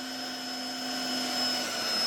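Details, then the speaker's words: Tineco wet vacuum under repair, fitted with the roller, front cover and charging base borrowed from another unit, switched on manually: steady high-pitched motor whine with a constant tone and no wavering or rattle; vacuum motor running normally. "so it didn't automatically come on but turn it on yeah that motor working and look there's water now the water's still flashing up there"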